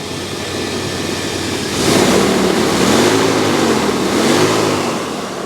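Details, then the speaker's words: 6.0 LQ9 with small cam, LS-swapped into an OBS two-door Tahoe, new exhaust with catalytic converters, not started for 2-3 weeks: smooth even idle with two light throttle blips, no shaking, knocks or ticks; runs like a sewing machine. "But like I said, the engine is smooth. There's no shaking. Sounds like a damn sewing machine, right?"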